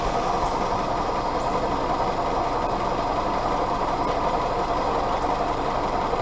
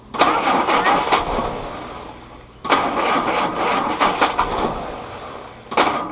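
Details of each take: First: Willys CJ2A L134 Go Devil four-cylinder being tuned after earlier troubles; readings taken were exhaust about 200, top of head 140, water hoses 115–118. It holds a steady mid-pitched drone with no knock or misfire and seems to run okay. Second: Willys CJ2a Jeep L134 Go Devil four-cylinder with original carburetor refitted: three cranking bursts with uneven pops and catches that never settle into idle; timing suspected, distributor rotated slightly for more consistent firing.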